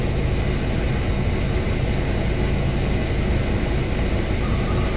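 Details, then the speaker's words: Proton Waja MMC at operating temperature (about 80°C), AC compressor and fan speeds 1–4 switched on: idle rises to about 800 rpm, stepper motor moves from 60 to about 70 steps, steady with no hunting or dips; normal AC idle-up. "Oh cantik ya. Dia dah pergi lapan 8 set rpm dah. So stab motor pun 60 duduk dekat 70 step."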